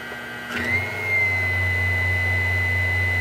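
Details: Vitamix Commercial VM0115E running with container fitted at speed setting 30: motor settles to a steady high whine over a rough low drone from worn, cheap blade-assembly bearings, to be replaced.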